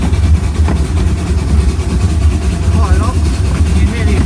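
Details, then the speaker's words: Steam locomotive Mad Bess, Ruislip Lido Railway, recorded in the loud cab climbing the bank with a lot of regulator open: deep, steady, even chuffing exhaust beat under load, nothing amiss. "can hear the exhaust on the engine. I'm trying to talk loud because it's quite loud in here. And we're climbing up."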